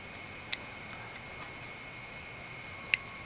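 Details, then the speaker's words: RAP4 Glock 10mm paintball marker in a quiet room: two sharp dry clicks about 2.5 s apart, a brief delay then a pop; spring is intact, but the sear, trigger or hammer is rounded off, so the sear slips off the hammer. "you can hear it's like a little delay and then it pops and the spring is intact and is in good shape it's just that little sear it has rounded off for some reason"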